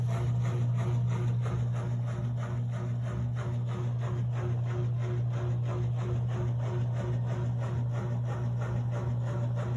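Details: Steady low motor hum with a regular scraping tick about three times a second from a Miele W1113 washing machine; an unexplained rubbing, scraping noise, source unknown.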